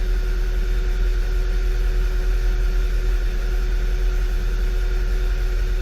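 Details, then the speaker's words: 2011 VW Tiguan four-cylinder at idle with P0300/P0301/P0303 codes and a flashing check engine light, fuel pressure fine; low rumble with uneven pulse about one stumble a second; misfire fixed by replacing the coil harness. "we do have a misfire i don't have a check engine light yet but we do have ms fire"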